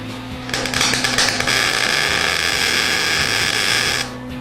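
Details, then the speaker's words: MIG welding a tack on a big gap in a water-heater barbecue: the arc crackles with irregular pops because the wire isn't hitting anything, missing hit and miss across the gap. "If you hear that popping, that's because the welding wire is not hitting anything. It's kind of missing and hit and miss."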